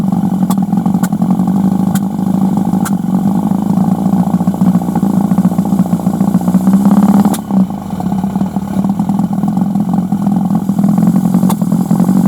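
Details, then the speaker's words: Suzuki 1100G with Mikuni carbs, warmed up for a few minutes: steady idle, then the engine sags and nearly dies as the throttle opens before picking back up; bogging, with vacuum-actuated throttle slides suspected. "let's see what happens when I open the TR dying you can here he starting to die and there it is I think that should capture whatever's going on"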